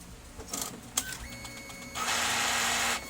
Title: gear noise when gets paper #brother Dcp-T420w, #fixed #broken #gear